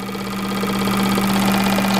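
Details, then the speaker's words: Bench flow test on the turbo K24 Civic EP3's fuel injectors: a known-good Bosch 2200 gives a loud, steady, rapid buzz and sprays hard, while the customer's injectors, suspected not to be real 2200s, barely move fuel. "you can already see it right off the get-go these things are like barely moving any fuel and this thing's already Off to the Races"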